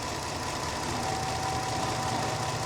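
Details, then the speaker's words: 2017 Jeep Grand Cherokee 3.6L V6, intermittent bog with no codes at first, later P000C: rough idle with a dull uneven throb and faint knock, revved to about 2,000 rpm, oil leaking everywhere, cause unknown. "I don't know if you guys can hear that. This thing sounds terrible, to be honest."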